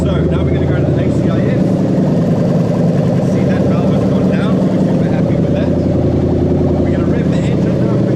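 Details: 1998–2000 Lexus LS400 1UZ-FE VVT-i V8 running on an adapted standalone harness with automatic gearbox, started in park: smooth, even V8 burble at steady idle, no misses, ticks or knocks; normal idle.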